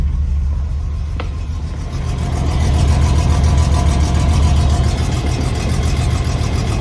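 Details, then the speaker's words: 1989 BMW E30 325is at idle in neutral after exhaust patch (JB Weld), new air filter and fresh fuel: deep puffing idle with rapid chuff three or four times a second, less bad than before, still an exhaust leak at the bottom of the header. "So, so it doesn't sound quite as bad. We definitely still have a leak down by the bottom of the header."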